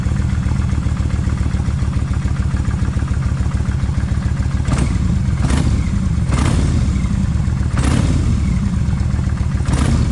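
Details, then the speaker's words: Kawasaki Vulcan 1600 V-twin idling after rear cam chain adjuster done and front adjuster worked on: deep, loud idle with a light irregular tap; better than before but a slight cam chain tensioner tick remains. "it's not 100% quite but dog going I think it's a lot better than what it has been I still here a little bit"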